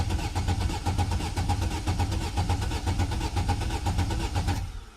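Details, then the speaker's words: Vauxhall Astra H 1.6 replacement engine, first cold start attempt, out of gear: even steady cranking at about two beats a second, no misses or knocks, then stops; turns over healthily though oil light stays on. "Bit worrying that the oil light hasn't gone out. But it sounds quite healthy."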